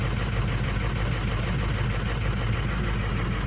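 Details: 2006 diesel with rough idle, cold at about 50 degrees, ICP okay; loud deep steady idle with uneven lumpy beat. Contribution balance flags injectors number two and four as out.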